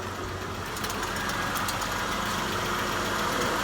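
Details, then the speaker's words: 2005 Hyundai Santa Fe with a leaky water pump, treated with K-Seal coolant leak fix: quiet, even idle once warm, with no lifter tick standing out. The major lifter tick from start after long sitting went away after about 10 minutes; oil change due. "had some pretty major lifter tick when i first started because it's been sitting so long once it ran for about 10 minutes the lifter tick went away"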